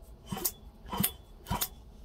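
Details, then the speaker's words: Small engine turned over by hand: three crisp, sharp snaps about half a second apart, a healthy magneto spark confirming good points, condenser and charge coil. "Now I know that this engine has a good set of points and a charge coil is good. I know my points are good and my condenser is good."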